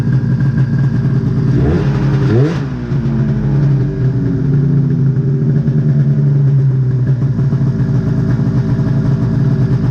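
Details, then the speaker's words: 1999 Ski-Doo MXZ 670 HO two-stroke snowmobile, air box off, after a slight turn of the carburetor idle screws to drop the idle: a throttle blip, then a steady, even burble at the lower idle with no misses; normal idle. "all right see i messed with the throttle screw or the idle screws just a little bit drop the idle down so now she's more friendly for trail riding"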